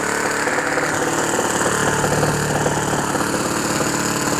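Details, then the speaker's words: OS FS 91 Surpass 15 cc four-stroke methanol model engine, rebuilt after crash with new ring, first start for break-in, 14x7 propeller: rough, blubbery beat with uneven firing; deliberately very rich mixture to bed in the piston ring. "Bon, il est très riche."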